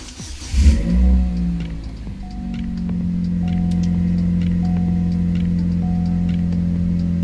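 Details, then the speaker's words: Chevrolet Cobalt SS after replacing factory air filter with K&N filter, start after fuel pump prime: short crank, then smooth steady low idle with no misses or knocks; owner says everything sounds good. "Okay, everything sounds good."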